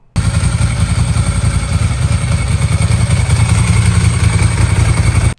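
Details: Vintage Ducati Paso V-twin found in storage, just repaired by a mechanic and on its first ride: deep, even thrum with a steady low beat and no knocks or rattles. It sounds healthy, though shortly afterward it started smoking heavily.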